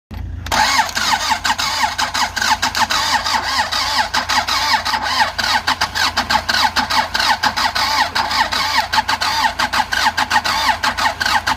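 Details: Andoria 4CT90 engine: steady starter cranking with even compression pulses about five per second for over ten seconds, never catching; only a little pressure noted. Crank no start.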